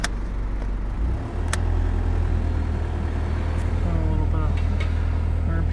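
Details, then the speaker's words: 1996 Toyota Land Cruiser Prado KZJ95, 1KZ-TE intercooled turbo diesel, automatic, 4x4: low, steady diesel clatter at idle lifts slightly and stays even with the idle-up switch engaged; raised idle. "Has an idle up switch."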